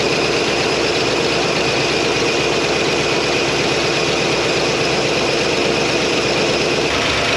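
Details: 1957 Chevy Bel Air, likely a 283 small-block V8, garage kept since '76, warmed up with the thermostat now open. A steady, even idle with a smooth low rumble and no knocks or misses, running cleanly, though something is still leaking.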